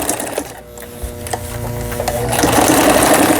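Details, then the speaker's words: Brother Prestige 20 household sewing machine, after a gearbox repair (it had skipped a step, so no patterns formed): even, brisk chatter of about four stitches per second while sewing the three-step zigzag stitch, no knocking or skipping; stitching normally. "옷감의 가장자리가 풀리지 않도록 해주는 이 오버록 스티치까지 모두 수리가 잘 됐습니다."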